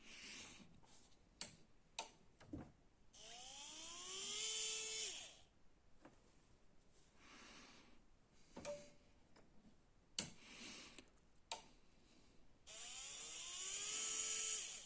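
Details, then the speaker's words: New DC 24V main motor RM1-7624 for a Canon i-sensys MF4410 printer, bench-tested before fitting after the old motor failed to start: two short, smooth whining runs that stop cleanly. The motor spins normally. "Այժմ միացնենք նոր շարժիչը և տեսնենք այն պտտվում է թե ոչ, որից հետո կտեղադրենք արդեն իր տեղը։"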